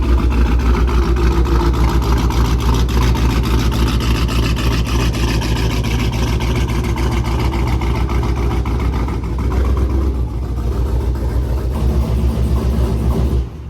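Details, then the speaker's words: Supercharged, cammed and tuned Hemi RT V8 idling after coming to a stop: deep idle with an uneven lope, three or four pulses a second, choppy rough idle; banging felt under the driver seat in reverse, cause still unknown. "I don't know I'm trying to find out what it is as of right now but yeah it has a weird chop idle"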